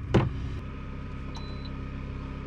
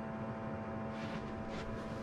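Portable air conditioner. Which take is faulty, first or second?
second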